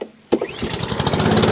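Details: Honda Izy lawn mower after fixing a carburetor leaking petrol, started on choke: after a short silence it catches and settles into a quick, even beat with no misfire, a healthy start.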